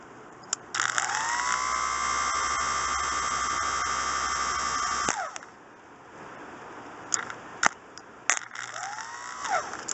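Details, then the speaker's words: Starter motor of a Coleman Vantage 7000 generator's Briggs & Stratton engine, bench-tested by touching battery lead directly: steady high whirr spins up, holds about four seconds, winds down; starter works and turns freely. "okay so there we go there we have it it is now proven this starter works"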